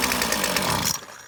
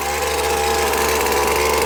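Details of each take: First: McCulloch T55 CLS line trimmer with fresh fuel and confirmed spark, fuel poured into the cylinder: it runs at a high buzz for about a second, then dies instead of idling. Owner suspects a blocked carburetor jet or a loose part. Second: McCulloch T55 CLS line trimmer after repair, the no-start caused by cylinder head bolts that had come loose over the years: loud even two-stroke buzz holding a steady note for ten seconds without dropping out; running properly again.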